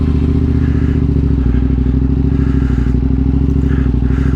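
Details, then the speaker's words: KTM 950 SMR twin after carb sync and rejetting (175 front/180 rear mains, 45 pilots, needle third clip): steady even twin rumble, no misses, knocks or hunting; runs smooth and healthy. "but yeah runs great sounds very [Music] smooth"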